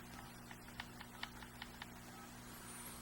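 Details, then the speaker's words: Crosman 2240 air pistol with the barrel band set screw (mainly the top one) loosened. The barrel rattles with quiet, irregular light metallic ticks when moved. Fix: tighten until snug and the rattle stops, then adjust in eighth turns while checking accuracy. "I want this one to loosen up so you're going to want to loosen this up you're going to hear the barrel see how it rattles around"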